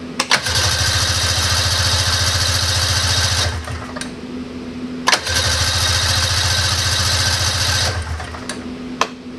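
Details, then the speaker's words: 1999 Ski-Doo Formula DLX two-stroke snowmobile with badly adjusted carburetors, started on full choke in weather around 50s °F: repeated three-second cranking bursts with quick chuffs and no catch. It eventually fired; the engine was flooded from too much choke. "Maybe oh you fired eventually I probably just floated it out good night yeah I totally just flooded it"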